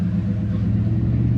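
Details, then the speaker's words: 2003 Ram at 411,189 miles, first drive in almost two months after a PCM swap; check engine light on for a known O2 sensor problem: steady, even low rumble under way with no knocks, misses or whines; sounds absolutely normal. "man it sounds normal dude it sounds absolutely normal everything still seems to be working"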